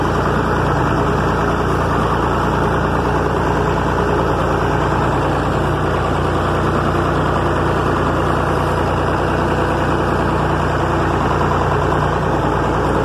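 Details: 1961 Massey Ferguson 35 Deluxe, A3.152 Perkins indirect-injection diesel, pulling a Ford 309 corn planter: a steady, even diesel chug with no knocks or misses, smooth and healthy throughout.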